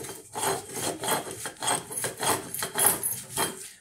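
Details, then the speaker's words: Car wheel bearing turned by hand (wheel on or off): rough, gritty rasp pulsing about twice a second, bearing worn out and needing replacement. "usted le puede dar vuelta a esta parte oiga Se oye muy feo porque El balero ya está descompuesto"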